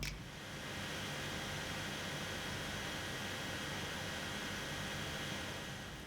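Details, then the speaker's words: MSI GS63VR gaming laptop with GTX 1060 under full load: loud steady fan rush with thin high-pitched coil whine on top, constant throughout. "Unfortunately when it’s on full load, The fan produces high pitching coil whine that will be a bother when you’re playing games."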